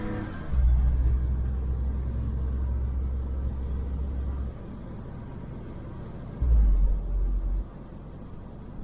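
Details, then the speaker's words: 2004 Chevrolet Trailblazer on a normal-road test drive: only low, even road rumble swelling briefly with throttle, no growl or hum from the wheel; front hub quiet and healthy, while the left front clunk appears only over bumps. "but driving normal on the road like this it doesn't make any noise"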